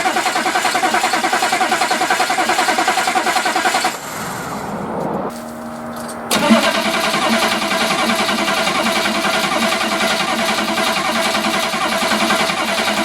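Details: Chevrolet P30 food truck, 6.2 diesel: steady fast cranking, pause with faint fuel lift pump hum, more cranking, never catches; crank no start, suspected no fuel through fuel filter / low fuel pressure.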